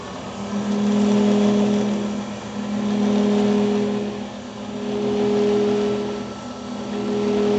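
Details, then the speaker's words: Grizzly G310 milling machine spindle at 2220 rpm: steady motor tone with slow even pulsing swell about every 1.5 seconds plus vibration, louder at higher rpm; cause unknown. "now i'm hoping you guys can hear this pulsating effect that's going on when i turn this on um and like i said when you go faster in rpms it just sounds louder and everything else"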